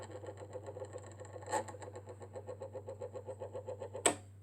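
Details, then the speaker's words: Vintage Thorens TD-165 turntable running with the belt but no platter: low mains hum under a rapid scratchy pulsing, about six a second, from the drive. Owner suspects the motor or the pulley/spindle unit. "so am I right in assuming that maybe it's the motor or is it maybe just this spindle where is that that's definitely not normal so what do I need to do to cure that"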